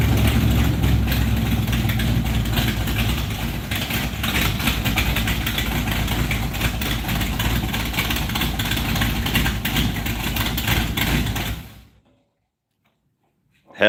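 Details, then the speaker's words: 1968 Plymouth Barracuda V8 on its first start-up: loud, lumpy idle with a heavy exhaust note that holds steady, then shuts off. Runs healthy, though a small fuel leak was found afterwards at the fuel pressure regulator. "yeah hell yeah we even got fan working that's awesome I couldn't even hear the damn thing over the exhaust"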